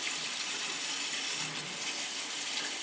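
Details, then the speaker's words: Gas boiler heating system zone, possibly after a stuck feeder: steady hissing, spitting gush of sputtering water as trapped air is purged from the zone. "that's probably where most of the air would be way up there on the third floor could have been the feeder was stuck to when i got here that's enough to do it stock feeder oh yeah there's definitely air in this one"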